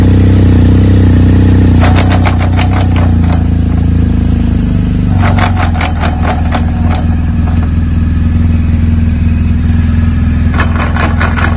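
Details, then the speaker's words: BMW GS boxer motorcycle with shaft drive at idle: steady loud idle broken by bursts of rapid metallic clatter every few seconds; suspected worn splines on gearbox output shaft, driveshaft or clutch disc, not confirmed. "este sonido ya explique el vídeo es el sonido feo es porque el eje que sale de aquí se ha comido el eje del palier o porque el eje que sale de la caja de cambios el estriado del disco de embrague"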